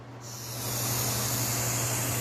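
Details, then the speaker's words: Rolls-Royce (Shadow/Wraith/Corniche) new 12V normally closed fuel vacuum solenoid, powered by a 12V regulated supply: it clicks open, then a steady, even airy hiss as vacuum flows through, so it operates normally. "and now you can hear that the solenoid opened, and now the vacuum can run through."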